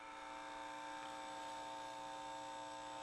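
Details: Harley Benton TE-80 guitar, bridge single-coil pickup through a battery practice amp after shielding the control cavity with copper tape: steady electrical buzz, fixed low hum with bright hiss; single-coil pickup hum persists, amp itself somewhat noisy.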